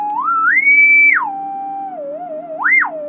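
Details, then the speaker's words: Amplifier under repair, channel 2 tested with signal generator: pure tone gliding up and down in pitch, clean with no crackle, pops or hiss; no fault found, possibly misdiagnosed channel. "so not getting a fault um now this is channel 2"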